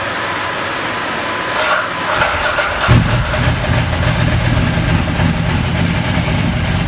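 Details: Ducati 998 Testastretta after inspection service (radiator reinstalled): short crank, then the twin catches and settles into an even, lumpy idle with no odd knocks; running healthy.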